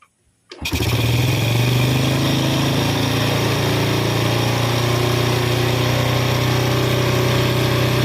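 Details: Yamaha Vega R New carbureted motorbike with unstable idle caused by too-tight valve clearance: after gapping the intake valve, with carburetor settings unchanged, it catches and settles into a steady, fairly brisk idle with no misses.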